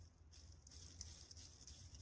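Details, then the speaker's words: Gas burner fan motor, rotor removed and turned by hand; low, rough, uneven rumble with faint patter and felt vibration instead of a smooth spin, worn bearings, so both ball bearings need replacing. "اینم موقعی که دارم میچرخونم با دست، موقعی که میچرخونید صدای احساس لرزش زیر دستتون میکنید، بنابراین هر دو بولبرینگ باید تعویض بشن."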